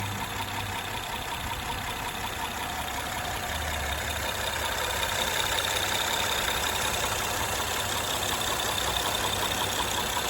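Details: 2013 Honda Accord Coupe EX-L 3.5L V6 automatic: light, even top-end ticking, two to three a second over idle, worse at high rpm; persists after timing belt, tensioner, water pump and valve adjustment; owner suspects a worn cam lobe.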